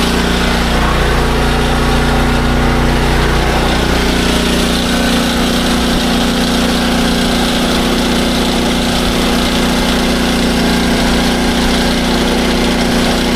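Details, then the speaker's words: SDMO 5000W generator with a Briggs & Stratton engine (about 18 hp), after restoration, load test with about a 1500 W heater and a light: loud, steady drone with a level hum, no hunting or surging; normal under load. "All right. Now that that's all finished up, it is time for a load test. We have a I think it's a 1500 watt heater and a little light. So, we're going to start it up. We're going to see how it runs on load."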